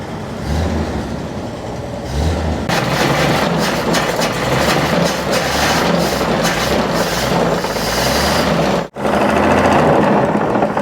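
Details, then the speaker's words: 1948 Chevy half-ton pickup that sat about 58 years with a seized engine, now freed and running: an irregular heavy knock rides the beat, louder as revs swell, identified as rod knock. "it didn't sound bad except for that noise yeah it had a rod knock but we rolled with it anyways"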